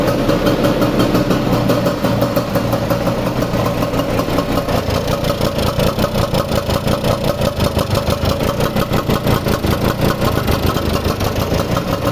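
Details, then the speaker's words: Vespa 150 two-stroke, restarted after repair of a loud engine noise caused by a broken elastic pinion. It ticks over at a steady, even beat of about three per second with no knocking or rattle, a smooth normal idle. "La he arrancado antes, pero voy a arrancarla otra vez. A ver, pongo la cámara aquí y la arrancamos otra vez para oírla. Es un reloj suizo."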